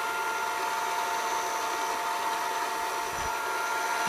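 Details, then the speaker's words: Funai FHC-1200 VCR (Shintom-built) in fast forward: steady thin squeal and high whine over the motor hum; motor needs lubrication. Finding: dry motor bearing squeal. "Yeah, you're gonna hear the motor squealing. It needs to be lubricated. Wish I can somehow shut that thing up."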